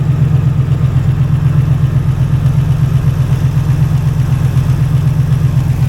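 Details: Ex-rock-quarry auction truck with 297,000 miles, bought as inoperable, idling right after its first start; muffler has a hole. Low, steady rumble pulsing about four times a second with no knocks or misses, a normal smooth idle.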